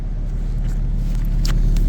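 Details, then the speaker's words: 2009 Infiniti G37x during a pre-purchase inspection, engine running, heard from the undercarriage: a heavy, steady, loud low rumble at idle, much louder than stock; a custom exhaust is suspected but not confirmed. "Then we go into the undercarriage, and I believe there is a custom exhaust in here because it sounds loud."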